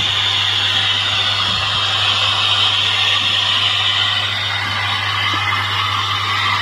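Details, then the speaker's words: Samsung CRT TV with steady hiss and crackle over a low hum while playing. The audio static is traced to a faulty IF coil in the audio section, fixed by replacing or trimming the IF. "bisa mendengar suara dan gangguan statis seperti ini, teman-teman."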